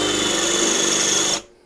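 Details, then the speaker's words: DEKO DKBL20DU3 20V brushless cordless drill with a 10 mm bit in dense concrete without hammer: high-speed scream with a sharp squeal from excess speed. "Naturalmente, lo sto modulando, eh, perché se vado veloce, brucio la punta."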